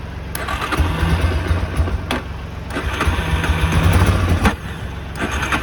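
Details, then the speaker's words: Machine with a bad battery jump-started from a 12-volt battery, which makes it crank very fast: heavy low chugging in uneven bursts, about three a second, with short pauses, cranking but not catching cleanly. "Same thing if you're jump starting a car. For these things, it just makes them crank like way fast."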